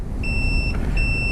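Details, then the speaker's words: Johnson Evinrude outboard ignition check, with a meter on continuity from the coil wire to ground: two steady high-pitched beeps over a low hum; the coil winding has continuity, so that side is good. "and then we're gonna go uh to ground select our continuity setting so we'll hear the beep"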